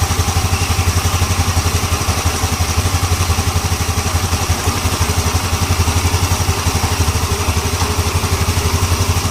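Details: Yamaha Ego LC scooter idling: even single-cylinder thump at about three beats a second, no clatter from the CVT/belt side.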